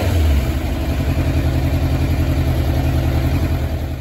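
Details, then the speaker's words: 2006 Suzuki GSX600F (K6) four-cylinder carbureted engine, warmed up after a ride, during a carb sync check: steady, even low idle with a smooth, balanced pulse; cylinders nearly matched and needed little adjustment, normal idle. "Well, actually this is how the bike's running at this moment, so it's really weird because it's almost balanced, but I'm still gonna try to make it as far."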